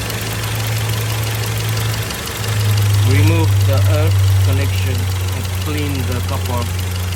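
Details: Skoda Kodiaq 2.0 TSI (CZPA, 132 kW) low, lumpy rough idle with an uneven stumbling beat about three times a second; misfire with codes P0300 random/multiple, P0301, P0303 and P0506 idle rpm lower than expected.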